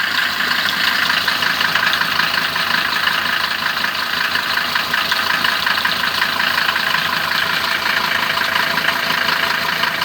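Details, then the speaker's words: Mercedes-Benz 410D diesel at idle just after an easy start, mild weather: fast, irregular rattle about three beats a second over the diesel clatter; worn belt tensioner bearing letting the tensioner jump, bearing to be replaced. "уже явно слышно, как шпрыгатит. Так, ну все, глушим машину и будем разбирать, заниматься ремонтом."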